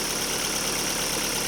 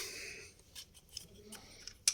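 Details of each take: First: Daewoo Lanos after fixing a dropped oil-channel plug starving the hydraulic lifters and replacing four rockers, first start: steady even idle with airy hiss, no top-end ticking; lifters quiet and healthy. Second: Daewoo Lanos after a fallen oil-gallery plug starving the hydraulic lifters was replaced: engine idles slightly quieter but quick, even metallic tapping persists from the top end; rocker arms found scored, camshaft to be checked.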